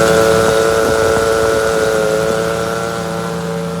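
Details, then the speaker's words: 1966 car, engine idling with an empty power steering reservoir before fluid is added; a broken hose or leak is suspected. Steady high whine with several clear tones over the idle, unchanging. The power steering pump is running dry. "you could see, there was a weird noise coming from the power steering pump as soon as we run the engine."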